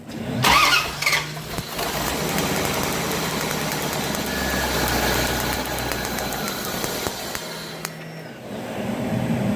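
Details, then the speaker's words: 1994 Chevy Corvette 5.7 V8, previously hard starting and lacking power on acceleration: starter grinds several seconds with uneven rhythm, no catch; spark seen cutting out, distributor signals to be checked; crank no start. "It is a crank no start right now, but before it was starting and just lack of power on acceleration."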